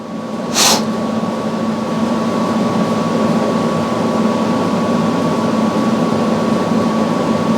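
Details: Samsung front-load washer after replacing all four shock absorbers with OEM shocks, running a calibration spin with an empty drum. A smooth steady hum with a faint constant tone and no banging or knocking; normal, healthy suspension.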